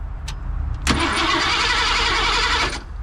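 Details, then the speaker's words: 1987 Ford F150 just converted from EFI to carburetor with an HEI distributor: starter whirs, engine catches briefly and runs rough, then loses fire and dies within two seconds. Owner suspects a carburetor problem plus many vacuum leaks; not confirmed. "seem like it lost fire there somehow got a cobet issue got to be"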